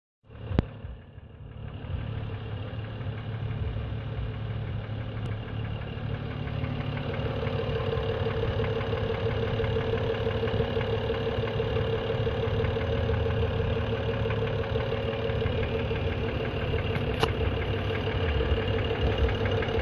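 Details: 2011 BMW E90 335xi petrol engine at cold start: a light, fast clicking or ticking over the idle hum, no longer heard once the engine is warm.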